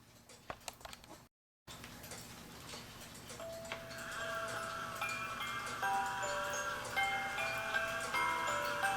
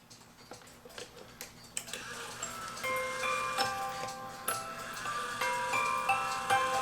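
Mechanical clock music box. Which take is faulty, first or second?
second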